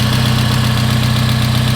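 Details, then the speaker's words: Car at a salvage auction yard, idling with muffler rusted completely off and serpentine belt missing after its idler pulley disintegrated: loud, deep, blatty idle with steady firing pulses and no belt or accessory whir. "yeah so the muffler is rusted off of the car which is why it sounds like it's so awesome right now sounds good okay"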